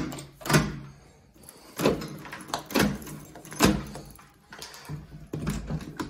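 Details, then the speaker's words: Steel door with special-type hinges after repair and gap adjustment: only thuds and latch clunks, no creak or squeal when swinging and shutting; previously hinges were very noisy and door stuck, now quiet. "normal ittiğimde hem altı hem de üstü"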